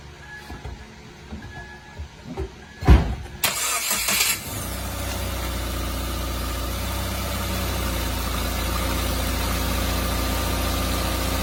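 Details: Subaru Crosstrek AWD, which clicked and clunked when turning due to the center differential: a few soft knocks, then the engine starts and settles into a smooth, steady idle with no clicking or clunking.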